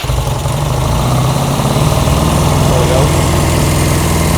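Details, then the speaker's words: Honda CB200 with aftermarket carburetors on an auxiliary fuel tank, during carb adjustment: steady, fast twin-cylinder idle with an even low drone, sitting noticeably above normal idle; slides being adjusted via handlebar adjuster. "Now, it's idling a little bit high."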